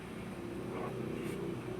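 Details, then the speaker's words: Toyota Wigo after a misfire and check engine light, treated with an additive: quiet, even idle with a steady low hum and no missing; RPM no longer high, a normal steady idle. "per yung and ng engine ay steady na So yung RPM niya ay hindi na taasa kanina taas Menor nion"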